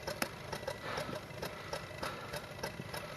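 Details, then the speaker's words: 2006 Subaru Forester with recurring cylinder 3 misfire code despite new plugs, cold start at -5F after block heater. Uneven, lumpy high idle with irregular ticking and stumbles; owner thinks it was missing, cause not pinned down. "it was definitely running a little rough on high idle when i first started and then then i think it was missing"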